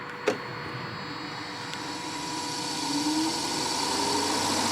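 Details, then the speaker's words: Radiator cooling fan commanded on via OBD2 scanner active test: a click, then a whir rising steadily in pitch as the fan spins up; fan runs fine. "Ja, hör ni, den går ju igång fint här inne."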